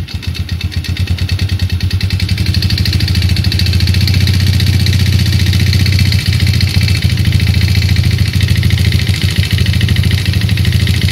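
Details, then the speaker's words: 2008 Yamaha Jupiter Z: hard, regular knocking about three times a second over the small single, louder as revs climb; connecting rod knock. "Suara mesinnya coy mengerikan."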